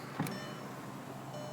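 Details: 2001 Audi TT MK1 power window after lubricating the rails and wires to cure jamming and squeaking. A short click, then a smooth, steady motor whir as the window travels, with no squeak or binding; normal power window operation.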